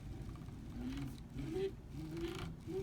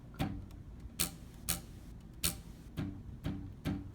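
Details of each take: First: Prusa i3 MK2 X-axis carriage moved by hand: smooth travel until one spot, then a clicking, rumbly, pebbly sound and the axis becomes hard to move; cause unknown. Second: Prusa i3 MK2 x-axis belt tensioned all the way to the right: seven quick plucks, each a short low twang dying away, tension sounding about right.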